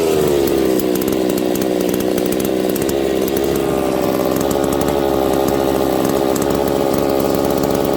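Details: Husqvarna 272/268/266/61-chassis two-stroke chainsaw after brake cleaner sprayed at crank seal and oil pump seals; high revving buzz sags and drops in pitch. Crankcase air leak at crank seal or oil pump seals.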